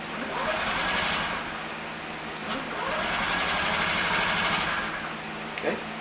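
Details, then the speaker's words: 2015 Honda Ruckus scooter, sat unused for a couple of years, never run by the current owner: two bursts of fast cranking with the starter working but no fuel pump buzz, never catching; fuel pump not running during cranking. "Okay. No fuel pump action. Let's disconnect this."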